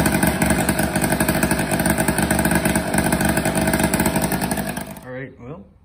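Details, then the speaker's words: Tomos Targa two-stroke moped, barn find, just fitted with a new exhaust, throttle recently worked on, started with one kick: crisp, even two-stroke buzz at steady idle with no misses or rattles; healthy normal idle. "yeah i think it sounds good and it looks cool thanks for watching"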